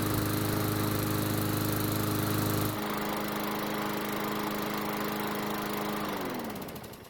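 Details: Craftsman mower that had sat long in a garage and wouldn't start, after repair and new recoil assembly, primed and started: steady even drone holding constant speed with no misses, winding down smoothly at shutoff; engine running healthy.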